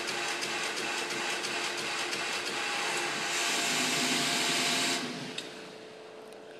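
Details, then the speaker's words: Residential fire protection (RFP) pump system; fast ticking about three a second over a hissing run as the pump switches on and off rapidly, short cycling; must be shut off immediately to avoid damage. "ticking sound that going back and forth is the sound of the pump turning on and off rapidly it's called rapid cycling or short cycling"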